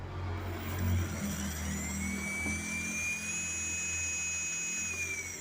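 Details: MJX Bugs drone brushless ESC after throttle calibration: smooth, even high-pitched motor whine that rises cleanly and holds steady with no stutter or cogging; motor and ESC running correctly.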